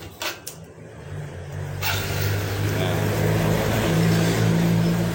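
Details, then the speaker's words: Yamaha Vega R, cold-start fault where it was hard to start in the morning, after carburetor cleaning and kicking five times with ignition off: one electric-start press, brief starter spin, engine catches at once into smooth steady idle; clean healthy start. "ini kita pencet sekali pencet motor hidup coba sekali lagi"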